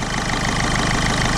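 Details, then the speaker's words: 2007 Ford Fiesta 1.4 TDCi diesel after injector diagnosis, airbox off and MAF sensor unplugged, weak battery, due a service with black oil: steady, even diesel clatter at idle, no misfire, engine steady; normal idle. "ah that's actually running it's not misfiring it's running fine I think it needs a good service"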